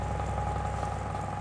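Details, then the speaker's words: Desk fan on fast speed: a steady fan hum with a faint low thumping repeating underneath, a slight motor knock, which the owner suspects comes from off-balance blades or something else. "The fast speed is obviously slightly noisier, but still respectable for the fan. There's slight knocking noise in the motor, as you can"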